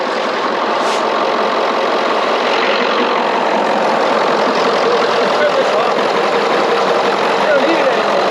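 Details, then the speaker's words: 1996 Ford F-250 7.3 Powerstroke that sat 10 years (veggie-oil conversion), first start after using the glow plugs. Steady, even diesel clatter at idle with no misses or knocks. Normal, healthy idle. "no way there's no way to start it up and it sounds that good listen to that wow it runs better than my engine"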